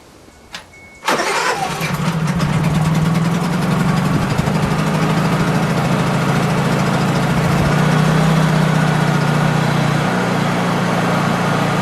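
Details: Honda EU3000is inverter generator in normal (non-economy) mode, carb adjustment screw reached through a drilled hole: pull start catches at once and settles into a steady, even drone of constant pitch; normal start and idle.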